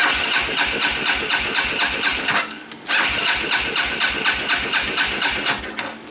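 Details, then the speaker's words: Baja 250cc ATV that had sat for a long time on old fuel, after a suspected broken blue wire was jammed back together: starter churns at about two beats a second with no firing, so it cranks but won't start. Cause unconfirmed. "It hasn't had a fresh lick of gas for a while."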